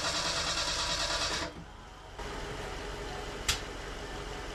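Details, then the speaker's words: A Merkur XR4Ti after an engine swap, on its first start attempt after months of work: the starter cranks, the engine coughs briefly, then it never catches. Bad gas is still in the tank, and the owner suspects ignition timing, unchecked without a timing light. "it did crank it coughed a little bit but but couldn't get it to start"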